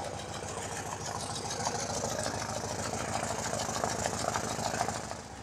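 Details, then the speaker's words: BMW Airhead boxer twin after a top-end refresh and reseal: a light, quick ticking over a soft, steady idle keeps pace with the engine, differing between one side and the other; top-end noise, cause unclear. "some guys have told me that it's really not that bad but I hear the difference between this side and the other side"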